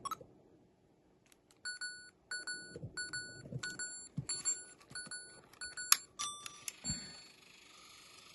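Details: Sony Handycam DCR-HC19E asked to play a tape: short, sharp high beeps repeating unevenly, with mechanism clicks between them; a warning, cause unknown.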